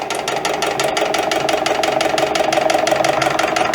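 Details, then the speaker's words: EPKU-1.7 compressor block on its first test run before repair, with complaints of cylinder knock and oil throw: a sharp, even, loud metallic knock about three per second over the running note. Wear is suspected, possibly the connecting rod bushings. "Ну це свідчить про те, що є виробітка. А хто його знає? Шатуни? Тобто втулки шатунів."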